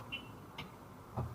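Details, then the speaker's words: Used golf cart with AC motor and brand-new batteries, key on in forward: short high chirp, a couple of soft clicks and a low thump as the inverter/controller powers up; normal startup sequence. "so you hear that startup sequence when you turn it on"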